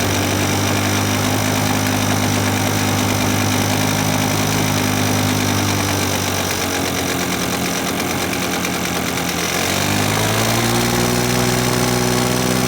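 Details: 1980s Victa two-stroke lawn mower, previously hard to start, after fitting a new Champion CJ8 spark plug: starts first pull, runs crisp and steady with even buzzing beat, then picks up speed smoothly; healthy.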